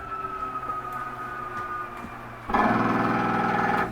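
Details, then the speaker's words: Coachmen Catalina 293QB travel trailer, slide-out extending: a low steady motor hum rises to a louder, even buzz as the slide seats itself. Normal slide-out motor noise, no grinding. "That is okay to hear. Don't panic when you hear it. Nothing's grinding anything. That is just the slide itself setting. So don't worry about that."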